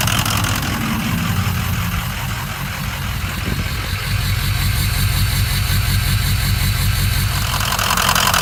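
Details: 2004 Ford Excursion 6.0 Powerstroke diesel with head studs, EGR delete and blue spring; loping rough idle began after hard driving. Deep uneven idle around 160 per minute as one cylinder drops out. Bad #7 injector, fixed by replacing it.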